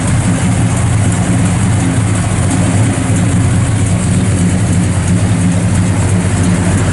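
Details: Restored 1966 Chevrolet Chevelle SS 396, 4-speed, 138 VIN, mild non-radical cam, idling: deep steady V8 idle with even slightly lumpy beat, no knocks or ticks; healthy engine.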